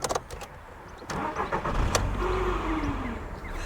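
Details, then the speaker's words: Seat Leon, 55,000 miles, on restart: rough, uneven whirring and clatter while cranking, then it catches and runs steady. Earlier tapping cleared once oil pressure built; the starter likely needs replacing. "a new starter at some point. Obviously it's working, but probably not doing it any good."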